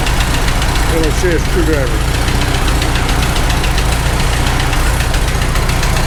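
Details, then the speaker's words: Farmall H tractor engine at steady idle on first test runs after rebuild, with a light, fast top-end tick fainter than before; holding one valve open makes the noise go away, suspected valve/rocker, not confirmed. "I hear it a little bit but it's not like it was before"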